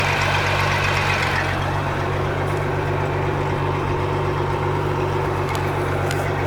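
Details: Mercruiser 4.3 boat engine after a bad starter and carburetor rebuild for a no-start. Deep, steady idle with an even beat about four times a second and no misses or knocks; running normally.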